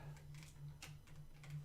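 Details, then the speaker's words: Lazy Susan turntable rotated in a quiet room: light, slightly uneven ticking, several clicks a second, a dry, noisy roller bearing; quiet when set on the carpet and stood on. "there's my ball so when i'm when i when i turn like that it it makes a lot of noise"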